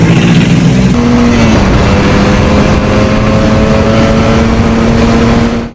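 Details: 1978 Yamaha RD400 two-stroke barn find, first start since 1993 after carb cleaning: crisp, buzzy note that holds steady and climbs slightly with throttle, firing evenly with no misses; healthy run.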